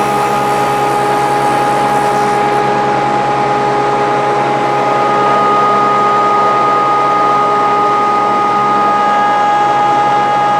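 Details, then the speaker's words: Grizzly G0458 18in open-arm drum sander, reassembled after breaking down: steady even motor hum, constant whine and rushing blower air, no knocks or rubbing; runs healthy. "we try to we got it running already and uh tried a piece of wood on it and it works fine"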